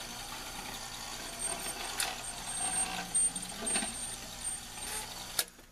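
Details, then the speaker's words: Rock-Ola 445 jukebox playing selection A6. Soft whirring and light clicks as the record is laid down, a sharp clack as it hits the hammer, then silence; the cycle stops early, cause not confirmed. "It's laying it down. Bam, and then it stopped. Did you see that it hit the hammer right when it stopped?"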